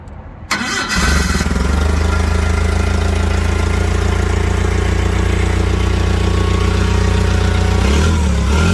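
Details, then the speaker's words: Komatsu FG30 three-tonne forklift with automatic transmission: cranks, catches within a second and settles into a steady, even idle with no misses or knocks. Normal start and idle. "работает ровно хорошо"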